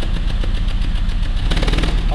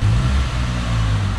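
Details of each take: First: Peugeot 206 three-cylinder revving with a rapid string of sharp pops and bangs, explosions in the catalytic converter up front. Fuel arrives but does not burn in a cylinder; spark plug or coil blamed, not injectors. Unburnt fuel popping in the catalyst. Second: Peugeot 206 three-cylinder at idle after repair: low, steady hum with a smooth, even beat. No vibration, no rpm drops, no hesitation, catalytic converter explosions gone; normal idle.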